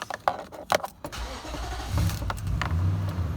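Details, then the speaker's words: Nissan Titan V8 (2004-2015) started with the mass airflow sensor unplugged: key clicks, then a stumbling start settling into a low, slightly uneven idle; the check engine light comes on and code P0102 is confirmed. "going to stumble at first, but it should run."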